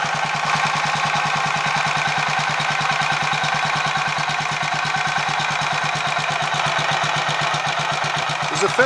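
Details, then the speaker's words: Royal Enfield 500 Machismo electric-start single after starter noise fix, 20W-50 oil in the starter sprag/freewheel area, warming up: steady regular thump at fast idle, no knocks, rattles or misses; camera may amplify sound; normal idle, sounding a lot better. "chance that the camera might actually be amplifying what we're hearing here but hopefully it'll be possible to compare this footage with what I got in uh the previous video footage and it should be able to te possible to tell but it's actually sounding a lot better"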